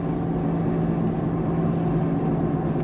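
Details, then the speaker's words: Steady low whirring drone over road noise at speed after front shock/strut replacement; worn front wheel bearing, destroyed by failed shock top mount putting pressure on it. "well, we've got a new noise, which is just as annoying. And I'll show you now. We need to get up to speed. Right, listen to this. You'll hear a whirring noise. Can you hear it now? Hear that? Yeah. Yeah, it's your wheel bearing."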